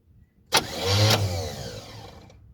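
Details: 1977 Chevrolet Malibu Classic, about 102,000 miles shown: sharp cranking then a brief rising rumble fading within two seconds without catching; cranks but won't run, fuel then poured into carburetor bowl.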